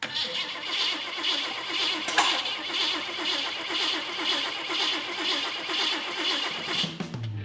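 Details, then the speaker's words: VW bus hot rod with AMC engine on Plymouth frame, new wiring and fuel pump running: starter cranks steadily for seven seconds without firing; cranks but won't start, suspected firing order issue. "I expected this thing to fire right up just like it did when we first put it in the frame, but uh we're not getting anything."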